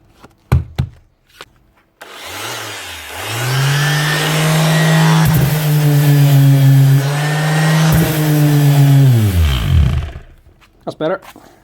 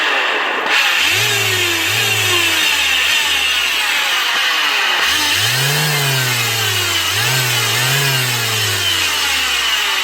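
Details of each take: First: Bosch GEX150AC 6-inch orbital sander runs smoothly after repair, with a new switch, bearings and brushes: it spins up to a steady, even hum for about eight seconds, then winds down cleanly. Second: Bosch GEX150AC 6-inch orbital sander: harsh, loud whirring with speed surging up and down, from worn, slack motor bearings; the switch also looks faulty and the brushes are worn low.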